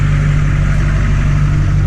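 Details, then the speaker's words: 2004 Chevy Silverado 2500 LB7 Duramax diesel with a 4-inch straight-pipe exhaust and K&N intake, hood open: deep, loud, even rumble with a heavy low throb, pulling clean and strong; normal. "nothing like the sound of diesel guys it sounds really good especially coming around to this straight pipe very nice sounding truck lots of Power with the diesel"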